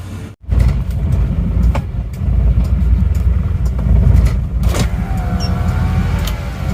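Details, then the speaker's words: Isuzu Panther diesel with a crack found at the front: low, uneven, shaking idle with loose rattles and thick smoke, rougher than other Panthers; too-low rpm and fan-belt noise suspected. "ini mungkin memang efek dari RPM mesin yang terlalu rendah seperti ini kalau goyangnya Emang seperti ini terus suaranya itu saya rasa ini adalah suara ban kipas dan asapnya tebal gitu ya emang agak kasar dibanding dengan mobil-mobil Panther yang lainnya ya"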